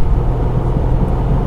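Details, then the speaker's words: 1986 Alfa Romeo 75 V6 barn find, 5-speed transaxle: steady deep engine drone under load with road rumble, very smooth pickup, no hesitation or jerkiness; normal acceleration. "very smooth it picks up nicely there's no hesitation there's no jerkiness it's just it's not that umpy umpy"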